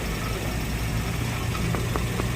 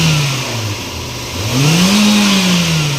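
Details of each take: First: 2017 Toyota Vios dual VVT-i idling, alternator bearing, water pump and tensioner already replaced: low uneven hum with faint light ticks — CVT transmission noise traced to deformed transmission oil strainer; fluid change planned. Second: Toyota Vios after replacing the automatic transmission fluid, revved in park: revs rise and fall smoothly with no droning hum, and the earlier transmission noise seems gone; normal CVT operation.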